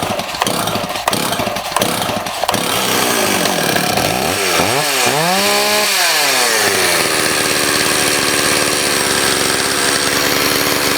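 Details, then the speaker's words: Stihl 026 chainsaw that sat about 10 years, with awful compression and a carburetor needing adjustment; rough pull starts, ragged climbing and sagging rev, then an uneven buzzing idle; scored piston and cylinder. "It's got scoring on the piston and the cylinder. And you know, you could change all the seals, carb kit, everything, and it's still not going to run the way it should."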